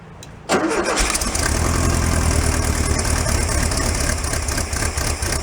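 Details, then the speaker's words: 1968 VW Beetle barn find, air-cooled, sat 5 years, old gas: cranks briefly, fires at once and settles into steady even idle, no misfire or knock, charge and oil lights out; normal start and idle. "Sounds nice. The charge light out and the oil light's out, so that's good."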